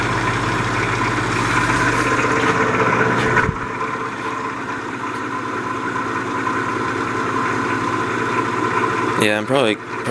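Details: 1950s Patton 18-inch High Velocity fan, 3.2 A GE shaded-pole single-bearing motor, hot and running below speed: low steady hum with rough drone as the fan turns slowly under strain; the bearing is seized, and the owner wonders if the fan oil is too thin.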